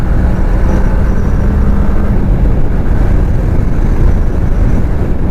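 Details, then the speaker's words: 2005 Kawasaki Ninja 500R parallel twin, 22,000 miles, revived after sitting 10 years, first ride: steady even low exhaust rumble under acceleration, no knocks or rattles, little vibration; running normally. "Sounds incredible. For 22,000 miles, this thing sounds amazing. Sounds like it's still breaking in. That's crazy. It's running really smooth too. For a parallel twin, you barely see any shaking."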